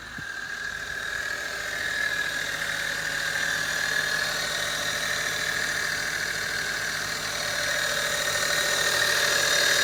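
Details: 2008 Acura TL 3.2L automatic at just under 175,000 miles, idling: steady high-pitched whine from the left side of the engine despite a new alternator, serpentine belt and power steering O-rings; cause unknown.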